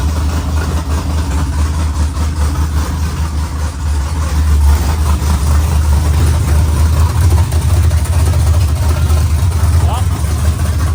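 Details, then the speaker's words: LS-swapped 4x4 Cadillac burnout car after swapping two backwards-plugged coil wires: deep, steady V8 idle with even burble and no misfire or stumble; runs clean, though alternator not charging and transmission crossmember bolts not yet installed. "yeah it does it sounds really really nice love to see you can't ask for much more than that"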